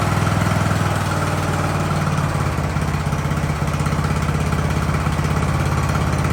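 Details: Ariens hydro-drive riding mower, sat at least two years, in about 30-degree cold: small single-cylinder ticking over at a steady, even beat with no hunting or stumbling; settled, healthy idle.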